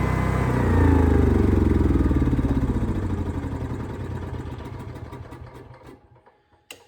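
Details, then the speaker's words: Small Onan generator after float bowl cleaning, running Berryman treatment and alcohol-free fuel: fires at once, revs up and settles into even steady beat of about four pulses a second before shutoff; quick start, steady running. "I mean the thing just fires right up and goes"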